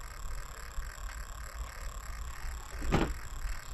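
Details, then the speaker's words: Losi 8ight-T truggy with a new SH 31 two-stroke nitro engine, on a stand before starting: a faint steady high-pitched buzz holds through the clip, the steering servo making noise while holding position. "of course, that high-tech throttle servo is, which are the high-tech steering servo, is making all kinds of noise."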